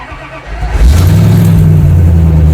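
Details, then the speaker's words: Jeep with a salvage-yard engine, cold start after replacing the ignition coils: brief crank, fires first try without the earlier double tap and holds a strong, steady low idle. Good cold start. "much better no need to double tap"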